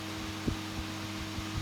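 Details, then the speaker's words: HP 8672A instrument fan after a blade repair, lubrication and reassembly, bench-tested without its cover: a smooth, steady low hum at constant pitch with light taps from touching the table, no rubbing or rattle. Runs fine. "yeah it's fine yeah of course we have a bit of noise because it's touching on the table that's running smoothly success"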